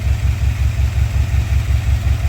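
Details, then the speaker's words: Carbureted engine after fixing timing by one tooth and fitting a new dual exhaust: even, steady low thumping idle with regular beat and no misses, normal smooth idle; valves still slightly loose, slight tapping possible. "uh vacuum's not horrible at this point the idle is smooth and consistent now so I'm happy with that"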